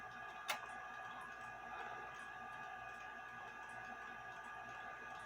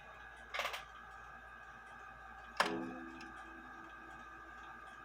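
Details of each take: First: there's a lot going on with it but the rubber sorry the leather piece fell off and I'm gonna Second: Junghans bakers clock gong hammer with a newly glued leather tip, hands off, tested after refitting in the case: three soft gong strokes about 2.5 seconds apart, each ringing down cleanly; the leather quiets the strike, normal gong strike.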